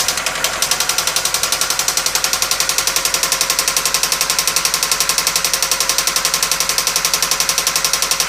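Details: 1997 Toyota Camry with a sharp, very regular metallic knock at about 3.7 per second over the idle; the knock began while driving, with stalling and white exhaust smoke. AutoZone suspected a failed head gasket mixing water with oil/gas and possible imminent seizure.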